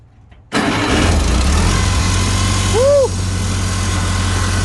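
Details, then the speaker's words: 1955 Farmall Cub that would not start and ran rough, after replacing gas-fouled spark plugs in a tune-up. It catches instantly on the first crank and settles into a steady, even idle with no misses. Normal start and idle. "okay like instantaneous there you go we'll see how long these last"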